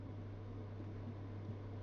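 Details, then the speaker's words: Elica SHY-BLK-90 angled glass cooker hood, newly installed, fan on speed 1: quiet steady low hum under the soft fan rush; owner can't explain the noise, filter area suspected; abnormal hum. "now it does have a bit of a hum uh a very large home"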